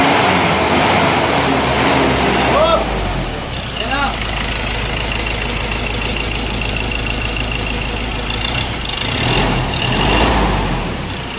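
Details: Mazda BT-50 2.2 diesel with a 6-speed, which had a powertrain warning light, low power and hard starting, running after an original-brand camshaft sensor was fitted in place of a cheap one: even diesel clatter at idle, no misfire or stumble.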